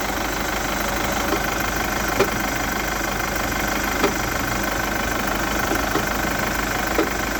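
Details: Chevrolet Captiva 2.2 diesel: steady idle with faint irregular knock every second or two; owner suspects timing chain mechanism or tensioner, not confirmed.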